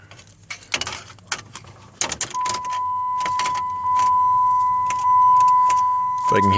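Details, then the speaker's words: 2007 Dodge Charger Pursuit with Hemi V8 that won't start: after a rattle of keys, a steady thin whine at key-on for several seconds as the fuel pump primes normally; starter, key and pump ruled out. "I can hear the fuel rail primed, and I can hear the fuel pump priming too, so yay!"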